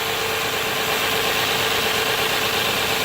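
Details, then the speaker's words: 2009-2015 Nissan Maxima with code P0171: fast, even high idle with a steady airy hiss; engine idles down when the leak is covered by hand, back up when released. Vacuum leak from a small nick in the second hose into the intake manifold. "Hear the engine idle down? Let off of it, idles back up. So anyway, there's a small little nick in that hose."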